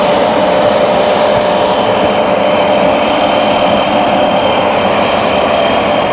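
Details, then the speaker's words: Real BR Class 74 electro-diesel No. 742 at Eastleigh in 1974 running on diesel power: steady high turbocharger whistle from the Paxman engine over a dense, even roar, the dominant sound on diesel; normal turbocharger whine. "On diesel, the overriding sound was the turbocharger on the Paxman engine, whereas on electric supply, the booster was mostly all you could hear."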